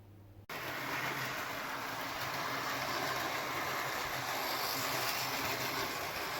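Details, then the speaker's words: Hornby Intercity 125 model train, formerly a non-runner, after a few minutes of running, with lights working: a click, then a light, steady whirr at an even pitch with no grinding or rattle, so the motor has quietened and runs normally. "Motor has quietened down a lot in the few minutes I've been having it running, so I'm really pleased with that."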